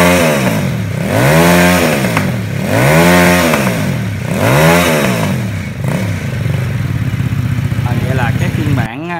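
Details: Homemade Vietnamese mini Ducati L-twin motorcycle, just fitted with exhaust, fuel tank, forks and wheels; plug lead reconnected after running on the auxiliary cylinder alone, both cylinders firing; crisp, even firing, revs blipped about every 1.5 seconds, then settling; healthy twin-cylinder running.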